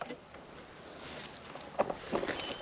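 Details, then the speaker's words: Solar-powered electric fence energizer just installed and switched on: faint regular clicks about once a second under outdoor wind and rustle; the unit is pulsing and the line is live. "and we're going to listen for a clicking sound because I'm not touching this today to test it hear that click click click oh yeah that sucker's on we're good"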